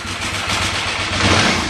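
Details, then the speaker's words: 2008 KTM 990 Adventure after reconnecting the neutral/second/third gear switch and restarting: lumpy, wavering idle struggling to settle; bike normally won't idle in gear under load. "So, doesn't like the idle now. But if I can get it running, let it run for a little bit."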